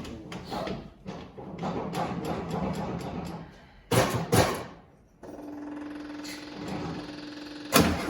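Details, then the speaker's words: 1972 VW Westfalia, first start in 13 years, new 34 Solex carburetor kit, electric fuel pump, redone fuel lines: steady cranking with no catch, then sharp pops; flame back out the right carburetor and puff at tailpipe, cranks and backfires, won't start. "got a flame come back out of the right carburetor okay yeah and it's steamed then there's smoke steam something rolling out"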